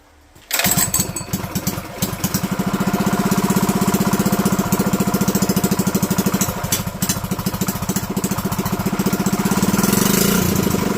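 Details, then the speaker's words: Experimental Predator 212 / GX200-type single-cylinder engine with entire piston skirt cut off, valves set a bit tight, at idle then revved: rapid uneven tapping through the exhaust beat, a knocking likely from the cut-down piston. "I don't know if you can hear it in video but there's a knocking yeah you can hear it right about there or somewhere give it a rim"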